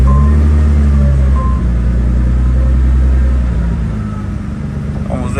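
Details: Vortec car after fuel pump control module bypass wiring: steady even low drone without stumbling, easing slightly near the end; now idling normally while the ground wire is checked for heat.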